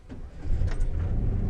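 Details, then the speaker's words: 2004 Chevy Silverado 4.3L V6 with crank-no-start fixed by replacing the faulty distributor cap and rotor: quick crank, fires promptly and settles into a smooth, steady low rumble; clean start. "there you go look at that it actually turned on really smooth going turn it off"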